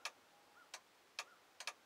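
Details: 2000 Ford F250 Super Duty dome light circuit: the relay chatters with sharp, irregular clicks and double clicks as the fuse is wiggled. A loose, shorting fuse contact keeps the dome light from staying on.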